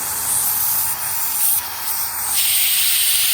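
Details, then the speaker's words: Maple sap line vacuum system: sharp, steady high hiss that dips and returns as the spout is covered by a finger; air drawn in through a crack in the tap spout, fixed by replacing spout. "if I get really close can you hear the vacuum so upon inspection and this is actually higher than what I can see on the camera so I apologize if if uh you can't see it there's a crack in the top of this spout right here"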